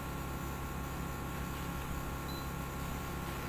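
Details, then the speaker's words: Daikin inverter air conditioner compressor after switching operating mode: a steady, smooth low hum with soft fan hiss and no knocking. Current drops from 2.7 A (matching the nameplate) to 1.8 A, and refrigerant pressure rises to 200. Normal inverter behaviour. "Otomatis ampernya akan turun, suaranya akan jadi halus, kan, dan freon akan naik."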